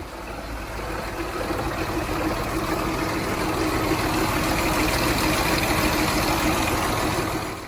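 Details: 2013 Range Rover L405 Supercharged, cold erratic low-rpm idle with check engine light: a busy, fast metallic timing chain rattle over a rough idle, traced to a failed bank 2 timing chain tensioner, fixed by full timing chain replacement.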